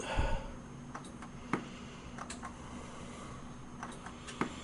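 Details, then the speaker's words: 1994 Toshiba CF26C30 26-inch CRT TV with intermittent power-up, tested after splicing cut wires and fitting capacitors: quiet room with a few sharp relay clicks seconds apart while the set stays dead, though high voltage charges the picture tube; cause not confirmed. "oh yeah I forgot to say it's not powering up but part of this set is powering up because it did charge the piture tube up so the high voltage is working"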